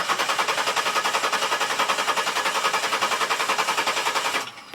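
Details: 2004 Buick Rendezvous 3400 V6, random no start despite new crank sensors, coils, ICU, wires and plugs; spark on all six and fuel pressure present: fast, even cranking at about three and a half beats a second that never catches.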